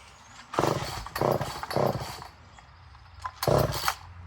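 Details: Poulan 1800 Wood Shark chainsaw with good compression, carb being adjusted, choke on, fuel leaking from the fuel line: fires in short ragged bursts that die back, never holding revs; flooding rich is suspected.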